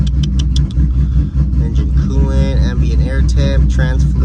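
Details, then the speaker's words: Dodge Charger SRT8 with 426 Hemi V8 idling on a hot day (90° reading), under music: deep, uneven idle chop about two and a half lopes a second, no blow-by; healthy cammed engine. "no blow by baby it's a good running engine right [Music] here it's a good running [Music] engine let's go hear that chop some more"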